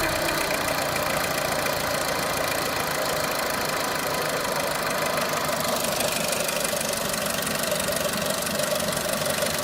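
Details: Renault Clio 3 1.4 16V at idle: light, quick regular metallic ticking over a steady engine hum; cause unknown; engine knocking noise.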